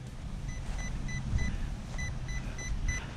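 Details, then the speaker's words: Radiolink CL9030 90A brushed ESC on 4S, run hard in grass until warm: clear high beeps in groups of four over low outdoor rumble as thermal protection shuts it down; must cool before running again. "There it is. That's the thermal protection right there."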